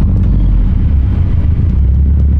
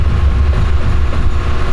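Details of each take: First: Car with newly installed COBB flex fuel sensor, just started: deep, steady, smooth idle with no knocks, misses or ticks while fuel trims learn; wideband reads about 16 AFR at idle. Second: Car with fuel pump disabled to depressurize the line before installing a COBB flex fuel sensor: deep, lumpy idle that pulses and falters unevenly as the fuel runs out, engine close to dying.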